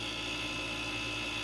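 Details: Residential heat pump reversing valve solenoid coil: a steady harsh electrical buzz with a thin high ring as the coil chatters on low control voltage (about 23 V); the shorted thermostat isn't outputting proper voltage, and the valve leaks at the capillary tube.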